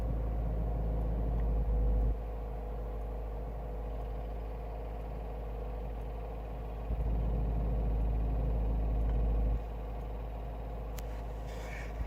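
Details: Renault Megane I phase 2 1.6 16v K4M, warm engine, noise only on throttle (not on engine braking), heard in cabin passenger side, began 2000 km after oil and timing service; fast light rattle from loose oil pump chain; chain and slightly seizing pump to be replaced.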